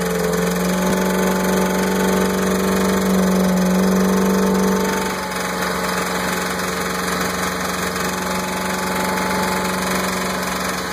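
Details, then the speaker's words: Mercruiser 5.7L V8 idling: regular knock near four per second over uneven, rough firing; appeared suddenly after lower unit u-joints and helm binnacle shifter were replaced; plugs and distributor cap replaced and timing adjusted without cure; cause unknown. "I don't know what's going on back here. She's running rough too."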